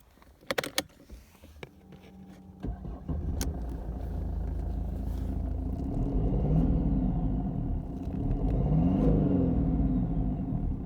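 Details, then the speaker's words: 2014 Mercedes C220 CDI (W204) diesel revving with deep boomy exhaust growl and vibration, worse on acceleration; worn rear gearbox mount lowers gearbox, straining the exhaust. "Today I'm in a 2014 C220 CDI and the customer's complaint was that he thinks the exhaust is growling and vibrating, especially on acceleration. Now I just want you guys to try and hear the growling noise."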